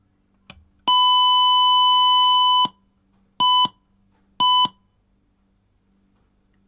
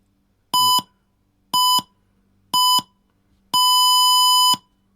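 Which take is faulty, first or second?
second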